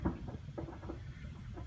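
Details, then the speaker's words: 1997 tank water heater in a North Dallas house with very hard water: irregular soft knocks and pops over low rumble; sediment built up inside the tank, needs servicing; water heater sediment knocking. "that Knockin sound you're hearing is sediment on the interior of the tank if you hear your water heater knock in like this you need to have it serviced"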